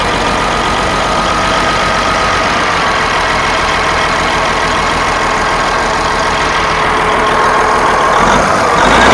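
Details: Western Star truck left to rot for years, first start attempt: heavy diesel clattering at a loose, uneven beat with a harsh rattly edge; fuel is pumping fine yet it runs rough after long storage, cause unknown.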